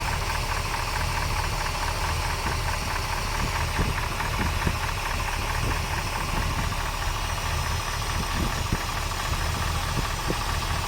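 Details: 454 V8 at idle with great oil pressure: steady quick ticking knock over deep rumble, loudest at driver side head, unlike rod knock; cause not pinned down, heads to be pulled.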